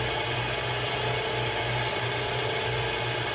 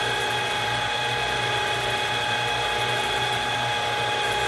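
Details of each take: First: Bolton Tools ZX32GP bench top mill after quill bearing and seal replacement, gearhead run at high speed: steady, even gear whir with no knocks, grinding or rattles; runs smooth and healthy. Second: Bolton Tools ZX32GP bench-top mill after quill bearing and seal replacement, running at high speed for 15–20 seconds each direction: steady high gear whine whose whirring mesh swells and fades cyclically from the cluster shaft.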